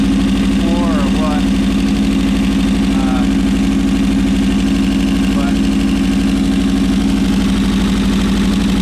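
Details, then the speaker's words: Suzuki Bandit 1200 back running after a clutch basket replacement: smooth, steady four-cylinder idle with an even beat. The earlier ticking is gone and only a very slight top-end tick remains; healthy. "this sounds good that ticking i was hearing it sounds like it went away"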